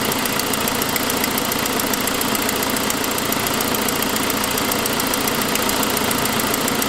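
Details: 2006 Saab 9-5 at idle: sharp puffing tick roughly three to four a second over steady idle, first suspected lifter; exhaust leak caused by broken forwardmost exhaust manifold stud.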